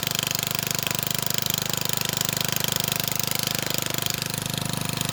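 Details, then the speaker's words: Old rotavator (tiller) with 3.5HP Briggs & Stratton engine, after cleaning the diaphragm carburettor and refuelling with fresh petrol plus lead additive: fast, even chugging at steady speed with no misses or stumbles; runs properly. "nice got a motivator that works now"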